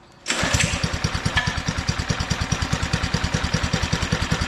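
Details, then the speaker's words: Old Doodle Bug DB30 minibike, newly fitted carburettor, started on choke with a little throttle: catches and settles into an uneven, lumpy, loping beat near three pulses a second; owner suspects it is running rich and may need carb adjustment. "give her a little gas Maybe a little too rich for your own blogger what old girl"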